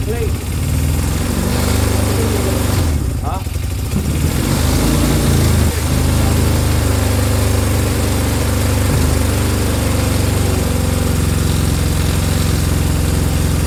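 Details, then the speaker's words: Honda CB200 twin: starts but idles with uneven lumpy beat and occasional stumbles, not settling; rough running, carbs suspected of needing a clean. "yeah so so now it will start but it's a little bit iffy isn't it"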